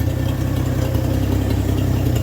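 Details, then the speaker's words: 1964 Chevrolet Bel Air old V8 after tune-up with new plug, exhaust ending at the manifold: steady, even low rumble with no misses, knocks or ticks; smooth, healthy idle. "I told you she'd be all right. That's just like a sewing machine, forget about it."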